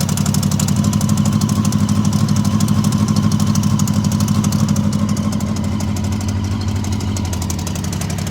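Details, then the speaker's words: Honda CB750 barn find, 65,000 miles, left outside about a decade, at first start after neglect. Even, steady tickover with a low pulse about three beats a second and no misfires; smooth like a sewing machine. "So apart from the rattle and the whole condition of the entire bike, I'm amazed at how smooth the bike is running at tick over. It is almost like a sewing machine. Well, it sounds like one anyway."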